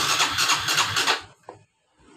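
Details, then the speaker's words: Honda Revo FI motorcycle that is hard to start cold or hot and stumbles on initial pull, with no fault codes. Starter churns in quick pulses but the engine does not catch; fuel pressure is suspected to be obstructed. "tekanan atau bensin di motor ini masih terhambat dan coba kita engkol terlebih dahulu untuk memastikan brebet atau susah hidupnya"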